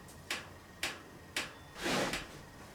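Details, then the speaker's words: Honda VF1000-engined buggy at idle: sharp, fairly even ticks roughly every half second over a quiet idle, cause not pinned down; ticking noise. "What's that ticking noise? I'm gonna turn down the idle a little bit and see if that helps. What is that ticking noise?"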